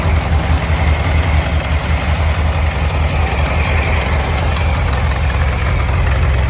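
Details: 1967 VW Beetle air-cooled engine that had a varnish-filled carburetor, running on its own: loud, lumpy but steady putter at constant speed with no hiss or stumble. No vacuum leaks and good power; normal idle.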